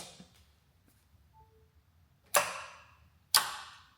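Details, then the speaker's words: 1973 Ford F100 with a Tesla motor swap, switch turned on with everything wired up: two crisp clicks about a second apart as the contactors close normally. The truck won't shift into drive; brake switch wiring or a bad inverter is suspected. "So what I've got, everything's wired up. We got the switch turned on. You'll hear the contactors click."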